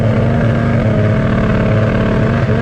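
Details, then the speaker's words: 1997 Yamaha SX 700 triple at about 5,000 rpm: steady drone sounding wet, flat and gargly, breaking up and falling on its face toward 8,000 rpm; owner suspects reeds after swapping electronics and clutches and redoing the carbs twice, not confirmed; rough running. "You can hear how gargly it sounds. It's at 5 grand. And up top, it just falls apart. It breaks up."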